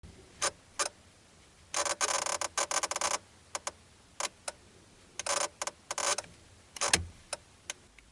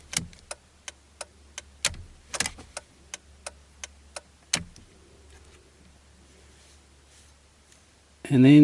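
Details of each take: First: Mitsubishi Magna/Verada indicating right: irregular sharp clicks breaking into bursts of rapid chattering buzz, from faulty flasher relay under the dash, not the indicator stalk. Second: Mitsubishi Verada (Magna/Verada) indicator flasher relay under the dash, reassembled and tested after fixing a buzzing noise when indicating right: crisp, even clicks about three per second, steady and unbroken; flasher now working normally.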